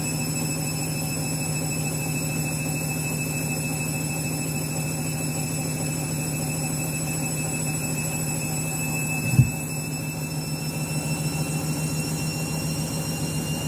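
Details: Washing machine final spin after a very sudsy final rinse (possible suds lock, load sensor deciding speed): fast loud steady roar with thin high whistling tones and one thump near the end; the spin is unusually noisy, cause unclear.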